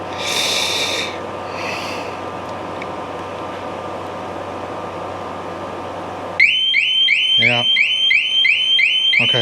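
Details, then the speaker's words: 2007 Sportster 1200 Custom on a lift. Taking a part off sets off the alarm: a loud, rapidly warbling siren cycling continuously after silence. "That if I take this off, it ain't going to go crazy on us. Let's see. I think it will."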